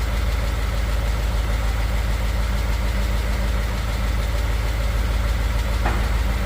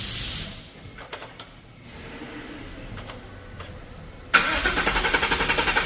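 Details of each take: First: 2015 Ford F150 Coyote V8, fresh VR1 20W50 oil, mic on toolbox; cold steady idle with light quick tick about three per second, heard by exhaust not engine, usual Coyote tick, fades in a minute or two once warm. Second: 2015 Ford F150 V8 (Coyote), 120,784 miles, fresh VR1 20W50 conventional oil, mic on toolbox; gas held while cranking to prime; starter grinds briefly, catches about 4.3 s, steady even high idle, immediate oil pressure. Normal cold start.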